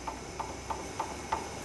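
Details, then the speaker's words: 2003–2008 Ford Crown Victoria sway bar link rocked by hand: five sharp metallic clunks, about three a second, from play in the worn link itself. "that's the actual play in the sway bar link itself"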